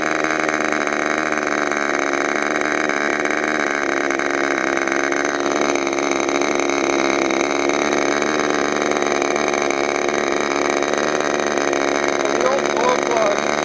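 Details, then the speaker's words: Freshly overhauled modified K&B .61 glow engine from CF Lee on test run: constant high-pitched buzz at steady pitch, no misses or sag; running healthy. "What are you running from? That engine I just overhauled. Sounds good."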